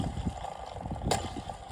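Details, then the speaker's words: Triumph Stag gearbox removed for clutch replacement; its clutch thrust (release) bearing, turned by hand, gives a rough, gritty rumble with uneven grinding pulses, the whirling heard in the car. Worn, knackered clutch release bearing. "Thrust bearing is knackered. Not supposed to do [Music] that. That's knackered."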